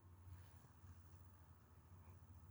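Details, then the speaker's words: HO scale homemade PRR Centipede diesel model locomotive, two Roco bodies joined, XL decoder replaced with a SoundTraxx decoder, sound off: very faint, smooth low motor hum with no ticks or rattles; runs quietly and evenly. "it's very very quiet it's probably one of the quietest locomotives I have"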